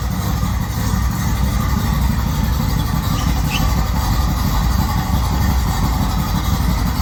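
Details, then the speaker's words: Rally VW Beetle for circle-track racing, fresh 1776cc air-cooled flat-four with windage tray, idling in neutral. Deep even rumble holding steady, no knocks or misses: normal idle. "would you like to run this engine Nick so we can hear it make sure it's in neutral so we don't run ourselves over"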